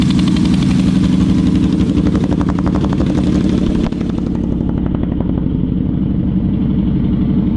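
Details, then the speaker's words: Yamaha Vmax V4 motorcycle after cleaning the sludged carburettor of the dead cylinder: even, steady idle slightly higher than before, now running cleanly on all four cylinders; airflow had been balanced while running on three. "all right what do you know now that's running on four cylinders the uh the idle was a bit bit higher"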